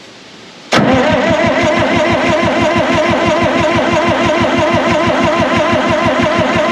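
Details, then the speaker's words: 1960 John Deere 440 backhoe, supercharged two-stroke Detroit 2-53 diesel, sat for years and was seized; new fuel-water separator filled with ATF to bleed fuel. Starter spins about three compression beats a second, never fires: cranking, no start, water in fuel. "so what i've got here is this filter slam full of atf let's see if we can turn it over and get some bleeding going on"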